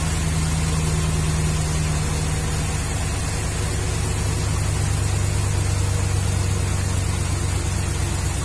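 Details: 2011 Ram 1500 5.7 Hemi idling: uneven loping beat, rough stumbling, flashing check engine light, P0305 cylinder 5 misfire; coil waveform normal; diagnosed as worn number 5 intake cam lobe.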